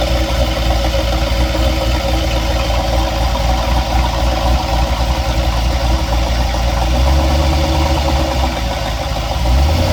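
Idling engine with an uneven low tapping beat running through the note, a few knocks per second, cause not yet pinned down.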